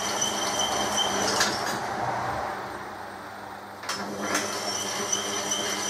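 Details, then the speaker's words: Newly belt-driven Holbrook lathe test run in a low speed: an even, steady hum with a faint high whine and no knocks or slapping, running smoothly; belt tension may need minor adjustment under load. "let's give it a test there we go folks you might not believe it but the boat is running"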